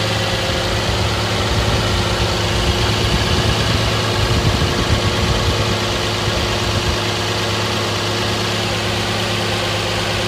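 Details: 2010 Nissan Maxima cold start: a smooth, even idle hum with no knocking or tapping. Its loud puttering from underneath comes only after about 15 minutes of warm driving, began after an oil change; owner wonders about the main-bearing knock TSB.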